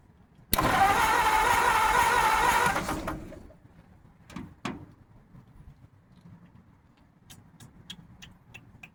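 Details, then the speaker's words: 1950 Ford F1 truck cranks steadily at about 3.5 turns a second for two seconds but never catches, pops or backfires. The coil isn't getting hot; the owner suspects a wrong firing order. Crank, no start. "All I can think of is the firing order is wrong. The coil's not hot this time either, so that could be a good thing."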